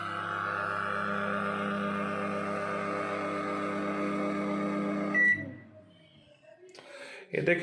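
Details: Brand new Dawlance microwave after heating milk: steady loud low hum about five seconds then cuts off; abnormal noise, owner unsure whether motor, fan or transformer.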